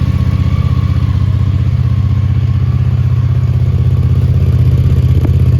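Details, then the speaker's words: 1983 Honda GL650 Interstate motorcycle, an Ohio barn find just totally restored, idling after its first cold start of the day; steady, even low putter with no knocks or rattles, running cleanly; normal cold idle. "I'm ready to fire it up. That's a cold start."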